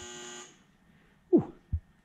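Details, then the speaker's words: Toyota 1UZ-FE idle air control valve wired to a Link ECU output, tested with a pulse width test; short steady electric buzz, then handling clunks — idle air control valve responding normally. "we can hear that buzzing away we'll do that again here is it buzzing it's making quite a noise right"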